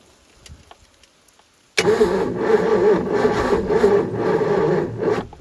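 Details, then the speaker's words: Supra TS6M ski boat that sank and sat about four years, cranked on a jump pack with fuel poured in: starter churns about three beats a second with a stray pop or two, never catches; fuel starvation, weak jump pack also suspected. "I definitely just heard a little fire there"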